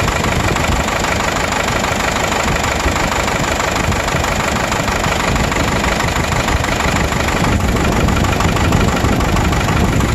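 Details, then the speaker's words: 1996 Vermeer SC1102 stump grinder, 3.9L 4BT Cummins turbo diesel with low power and breather blow-by: loud lumpy idle, cylinder 4 dropping out, 90 on temperature versus 125–150 others; low compression from mechanical engine damage. "i had about 150 on number one around 125 on two and around the same for three and number four was at 90 degrees"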